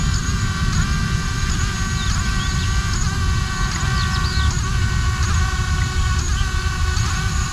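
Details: ArduCopter 6-inch race quad running pitch autotune in rising wind, after the second harmonic notch was set: even motor whine over wind rumble with quick pitch blips each second, no droning buzz; the frame resonance is gone.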